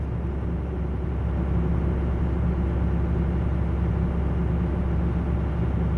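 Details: Truck at fast idle with engine-driven air compressor feeding an air bag system switched on: steady low rumble with an even whir, no knocks or squeals; compressor running normally.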